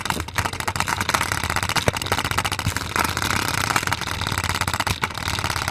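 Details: Spinner toy with a Play-doh container shaking inside: sharp knocks and clattering repeat about once a second as it spins, loud banging from the unbalanced load.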